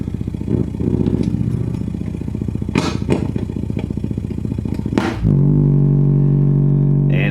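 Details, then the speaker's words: 1958 Sears Silvertone 9075 hi-fi suitcase amp being converted to a guitar amp, 12AU7 in the first stage; low putt-putt motorboating three to four times a second then hum, worse touching the tube; cause not confirmed. "goes into another kind of oscillation when you pull the tube. So definitely something not right here."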